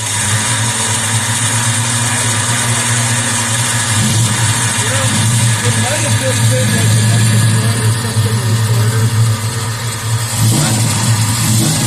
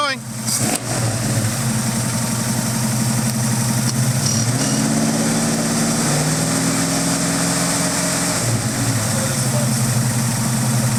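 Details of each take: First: Ford Mustang engine just unseized with Marvel Mystery Oil, after a suspected exploding starter: steady low engine drone with harsh high grinding whir that stays while running, starter suspected stuck engaged, possibly a switch fault; not confirmed. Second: Ford Mustang V8, freshly unseized, smoking heavily from Marvel Mystery Oil in the exhaust: steady even lope with a couple of light throttle blips, no knocks or misses; runs healthy.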